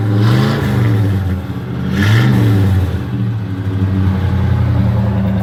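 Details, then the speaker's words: 1985 Oldsmobile Delta 88 with newly completed exhaust, pipes run out the back with no tips yet, before a major tune-up: a deep rumble rising and falling cleanly through two throttle blips, no clear rattle heard; a normal exhaust note. "we're gonna go ahead and crank it up so I could show y'all what it sound like so far so that's what we work and wit up they can sound pretty good"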